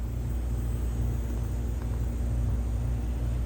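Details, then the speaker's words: Sim2 HT300E projector just after switch-on: steady deep rumble with a faint high whine, nasty noise reported before it shuts down; fan, overheating or color wheel suspected. "Yep, green light's on. I don't know if you can hear that. That's making some nasty noises."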